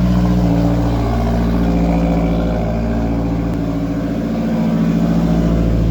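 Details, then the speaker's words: Mazdaspeed 3 with AEM methanol injection, just after installing a methanol solenoid following a failed nozzle check valve and refilling meth/water: engine settles into a steady, even idle with no stumbling; earlier fuel-system-too-rich codes to be cleared. "so it seems to be idling much better we'll get rid of these codes that we did have for fuel system too rich and see if they come back"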